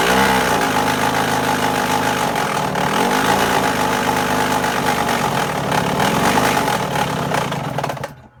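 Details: 2002 Yamaha YZ125 two-stroke running with a loud, roughly regular knock, about four per second; cause unknown, owner asking for help.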